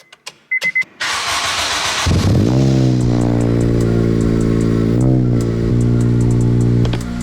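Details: Acura RSX Type S with Skunk2 exhaust, started after a spark plug check, no new plugs needed: crisp crank and quick catch, then a smooth steady idle with one brief blip, no misfire.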